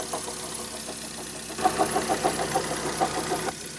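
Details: 2010 Vauxhall Zafira 1.8 petrol, 144,000 miles, with a badly cracked serpentine auxiliary belt: uneven light knocks about three per second over a rough idle, plus a rubbing note. Rod knock was suspected; the source is not yet found.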